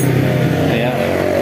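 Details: Honda CB150R after repair of no-start and 8-blink MIL fault, caused by a broken TPS wire to the ECU, fixed with wire: single-cylinder note burbling evenly at steady pitch, no misses or stumbles; running normally.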